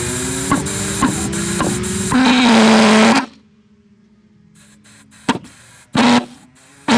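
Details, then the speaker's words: Hobby King pulsejet on an XUAV Mini Talon RC plane, warm-up test run: loud buzzing drone wavers then cuts out, short sputtering bursts try to relight and die; starving for fuel. "Might give it a try then, because it did sort of run, but I think it'll stop as soon as I pull any G's."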